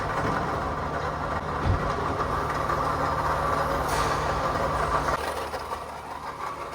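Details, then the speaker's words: 2010 Toyota Camry 2AZ 2.4L engine at idle, heard close and far; steady whirring drone with thin whine that rises with throttle and eases off near the end, bad water pump bearing. "मैंने आपको नजदीक से भी आवाज सुनाई है और दूर से भी सुनाई है कि बहुत ज्यादा आवाज आ रही है इंजन से।"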